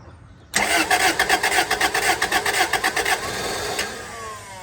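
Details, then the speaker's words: 2003 Toyota Celica GT: the starter churns at about four pulses a second for nearly three seconds, and the engine almost catches, then dies. The fuses did not blow; the owner suggests priming the fuel pump. "Fuses did not blow, and it wanted to run. I'd say prime that fuel pump a little bit."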